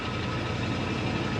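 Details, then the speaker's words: Retired ambulance engine started the next day after one throttle pump, ahead of a planned warm-up and oil change: deep, even, low rumble at a smooth, steady idle with no misses, knocks or ticks; purring like a kitten. "Purring like a kitten. Just right."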